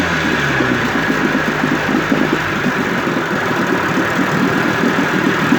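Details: 1958 Evinrude 18HP Fastwin two-stroke outboard with replacement powerhead, new head gasket, rings, crankpin needle bearings and NGK B6S plugs, cover on. Even, quick putter holding steady idle without stumbles or rattles: normal idle.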